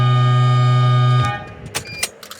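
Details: Harbor Freight air horn rewired so it no longer gives a warbling "Twilight Zone" tune; now a loud, steady single low blare held about a second and cut off cleanly, horn sounding properly with a solid tone.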